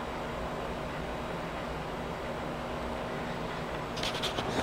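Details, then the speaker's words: Loud, steady airy fan whoosh over faint hum during boot of a free Compaq desktop, normal; fans quiet down after boot, hard drives (health 40–50%) noisy and audible. "once it boots up fans quiet down but you might be able to hear the hard drive spinning away so not the quickest boot up time in the world"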